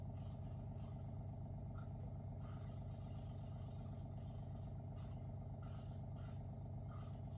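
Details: WaterFirst countertop reverse osmosis purifier, first-time setup, filtration under way: a low, steady hum with a soft even pulse of nearly three beats a second and no rattle or strain; the pump is running normally.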